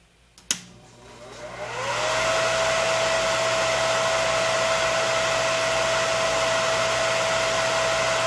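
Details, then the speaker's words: Used Breckwell/Facso pellet stove combustion exhaust fan removed from a Breckwell P24I, bench-tested before shipping: click, then smooth whine climbing over two seconds to a steady pitch, no squeal or scraping; normal startup. "Let me turn that off. And I'll turn it on once again so we can have another look at it, at its startup sequence."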